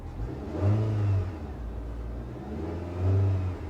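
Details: Car at idle with a couple of light revs: smooth idle and two clean, brief throttle blips that rise and settle evenly, no knocks or misses; normal rev.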